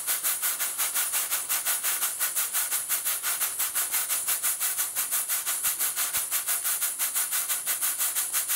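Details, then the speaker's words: Steam pump built by a friend, running on steam: crisp, evenly spaced hissing chuffs about three per second, like a little locomotive; the valve events are very even and it is running normally. "It sounds like a locomotive. It does, yeah."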